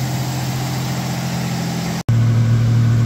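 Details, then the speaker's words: 1989 V6 Mitsubishi Pajero idling after stainless extractors replaced cracked, warped stock manifold and exhaust studs: smooth steady low idle, even firing, no ticking or puffing; sounds way better and quieter, leak fixed. "it sounds way better fantastic [Music] yeah dude it sounds way better [Music] way better it's quieter"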